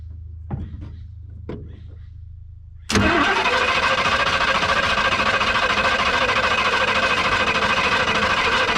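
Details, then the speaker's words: 1966 Ford Mustang with a 289 V8, restarted after sitting abandoned for years, electronic ignition in place of points considered weak: faint clicks, then it fires and settles into a steady, even idle with no misses or knocks; normal start and idle. "But she's running smooth right now."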